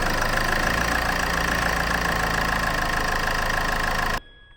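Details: Land Rover Freelander diesel after an oil and filter change: ticks over evenly with a steady clatter and no knocks or rattles; no oil pressure light and no leaks; sounds healthy.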